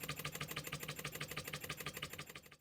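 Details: Scratch-built Wig Wag wobbler-style oscillating engine on compressed air: crisp, even chuffing at about six beats a second, steady and regular; a healthy little engine running freely.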